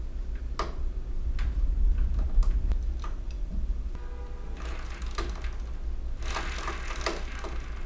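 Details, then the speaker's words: 1971 Honda CT90 at about 1200 miles, rear wheel raised and spun by hand: light, uneven chain rattle with an intermittent rubbing knock, something interfering; owner suspects the chain rubbing on something. "So it's pretty hard to tell what's going on here. Obviously there's the noise of the chain like rattling when I spin it."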